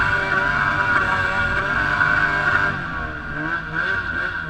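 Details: E-TEC 800 two-stroke revving with ragged, uneven beat and stumbling pulses instead of clean crisp note; cylinder misfire.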